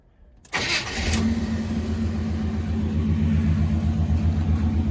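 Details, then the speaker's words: Box Chevy Impala on 28s that had a no-start, battery-draining issue, after work: cranks briefly, catches at once, smooth steady quiet idle with no misses or knocks; healthy start, owner thinks problem solved. "starts right up. This joint purring, yo. You can hear how quiet it is, man."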